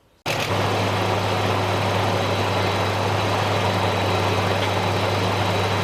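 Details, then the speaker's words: Another owner's engine after a similar engine treatment: smooth steady idle, even low hum with no tapping or ticking; a lot of difference, normal idle. "Yeah, and that's a lot of difference. And this truck runs good."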